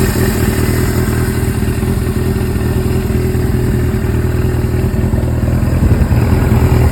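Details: Suzuki GS-series motorcycle engine with CV carburetors at idle: uneven clattering ticks, roughly two or three per second, over a lumpy idle. The source of the abnormal engine noise is unclear.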